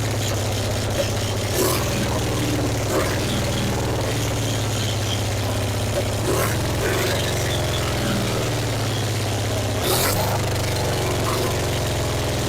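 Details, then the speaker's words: 1966 Triumph Spitfire MK II abandoned 41 years: steady low idle hum with a few sharp pops, super loud from a huge hole in the exhaust; engine runs and idles with lots of issues. "oh well she got lots of issues but she did run it's super loud because there's a huge hole in the exhaust right there"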